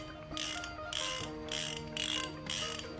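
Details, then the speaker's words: Bando Saviro 10000M spinning reel being reassembled, with the spool clicker replaced by a new one: crisp, consistent ratcheting clicks in quick bursts as the spool turns. The new clicker engages properly. "Kita juga sekalian cek, ini kan karena sudah kita ganti dengan clicker yang baru, kita cek dulu suara dari clickernya."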